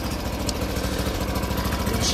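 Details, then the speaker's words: YARDMAX YD8105 track barrow, in neutral, on choke: small single-cylinder engine fires up and runs with steady even putter at fast idle, no misses or stalling, though the belt did not appear to spin. "she fire it up? She fired up, but I really didn't see the belt spinning."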